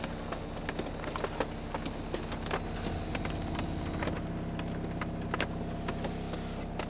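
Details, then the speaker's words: 1987 Lincoln Mark VII with ATE electro-hydraulic ABS, engine just started, ABS and brake lights on until pressure builds: steady electric motor whir with low hum and clicks as the pump charges the accumulator; operating normally. "can you see the anti-lock brake light is on as well as the uh brake light right now the accumulator is charging up building up pressure"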